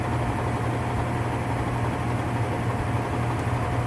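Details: Whirlpool top-load washer (model 110…) with a grinding noise when the motor runs, run in manual test at high spin: constant low drone with a gritty rough roar holding steady; worn gear assembly grinding, needs replacing.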